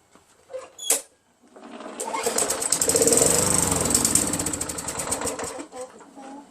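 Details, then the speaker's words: Craftsman 21-inch push mower, Tecumseh 5.5 HP engine, sat a long time, fresh gas, primed, poor fuel filter: a pull, brief buzzing run then sputters and dies within seconds; runs only on prime, dirty carburetor suspected. "So, what's wrong? It only runs for a second off the prime, right? So, this carburetor's dirty, right? But, it does run, but it's a poor running machine."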